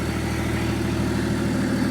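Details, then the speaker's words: BMW M57 bi-turbo diesel in a Nissan Patrol build with 6HP28 automatic, no exhaust fitted: steady, even idle with a loud, raw open-pipe note and no knocks, misses or surging; engine sounds healthy, normal. "Boro, how does it sound? Good. You like the sound? Yeah, I love it."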